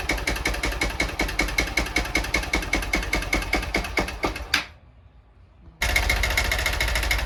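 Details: Honda Bros 160 motorcycle idling with sharp metallic tapping a few times a second that stops when the engine cuts and returns on restart; owner suspects piston knocking near the cylinder head; unconfirmed.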